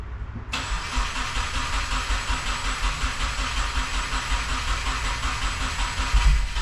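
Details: 2015–2021 Subaru WRX FA20 first start after engine rebuild, six months off, fresh 93 octane fuel, oil primed, new tune: cranks and catches at once, then settles into a smooth, even idle with no knocks or ticks; healthy.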